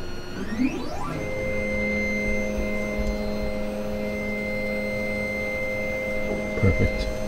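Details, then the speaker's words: Gendex Orthoralix 9200 dental pan/ceph X-ray column after motor and belt replacement (previously clicking, grinding, head stuck): steady even motor hum with faint high whine, no grinding or clicking, head moves freely; fixed. "No noise. No nothing. I just leave it up high. Done. And that's it. It is fixed."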